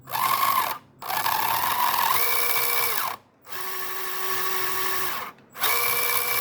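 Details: Pinecone Forest 2402, lifted, driven forward: a high electric whine in bursts with a coarse rasp and heavy vibration from the centre gearbox assembly, absent in reverse. Began after a few days of smooth running; cause unknown.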